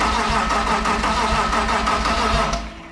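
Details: M52 turbo engine freshly swapped into a BMW E46, first start attempt after install and wiring: starter spins the engine at a steady three-odd compressions a second but it never catches; cranks, no start, cause under investigation.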